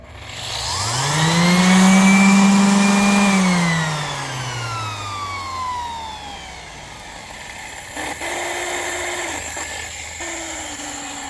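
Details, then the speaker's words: Handheld sander motor spins up to a loud, rough whine, coasts down, then gives two brief bursts; the motor bearing has failed. "my sander just gave out the bettering is no good no more so I probably have to uh see uh where I can buy the bearing and fix it"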